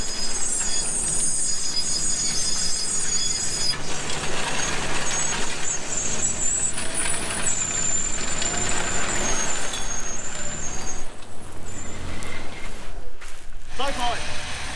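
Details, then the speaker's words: Brake screeching in Western Australia's Pilbara during a four-wheel-drive recovery from a soft dry river bed: a high, thin, wavering screech over the engine with sand and gravel crunching under slow pulling, from sand and rocks caught in the brake calipers fouling the discs. "the screeching sound you can hear is the poor sanded rocks caught in the brake calipers and fouling against the brake discs"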